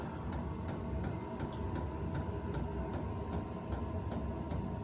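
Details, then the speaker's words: VEVOR 8K diesel heater in an enclosed tool trailer, first run, now pushing out warm air. Firing noise like an RV furnace plus a regular fuel-pump tick about twice a second over a steady combustion roar; running normally. "it sounds like a furnace running. It sounds like an RV furnace, the firing noise that it makes. Only thing's different is the pump noise."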